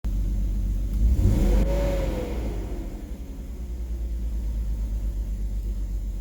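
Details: BMW 330ci petrol engine with a low, lumpy rough idle, uneven pulse and slight hunting after a throttle blip; cause unknown.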